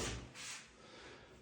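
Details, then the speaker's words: Glass shower door hinges after the sagging door was adjusted, seals and spacers replaced, and the squeaking hinges sprayed with WD-40: door swings and closes with a soft thud and brief rustle, no squeak; quiet hinge operation. "О, как новенькие заиграли. Ой, ну кайф."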